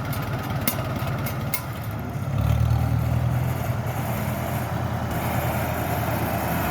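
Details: Farmall tractor engine after carburetor rebuild with a kit, started without choke: steady low beat picking up slightly around two seconds, firing evenly without sputter; running fine, fine tuning still to do.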